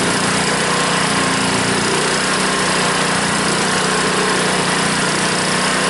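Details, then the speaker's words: Honda small engine on a water pump after clearing a clogged carburetor float-bowl jet that caused the no-start (fuel shut-off valve still leaks): steady, even drone at constant speed with no misses, surging or hunting; normal running. "Well, that's why it wasn't running. The jet was clogged up in the float bowl."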